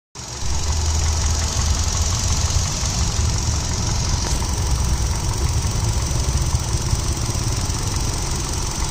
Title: I20 Magna, 2009, Silver color, DL3C, Engine noise.